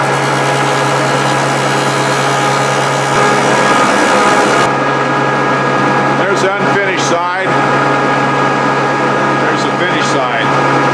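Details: Grizzly G0458 18in open-arm drum sander, running again after breaking down and being reassembled: constant motor hum with a steady mid tone, no rubbing, grinding or clunks; sander running fine and works on wood.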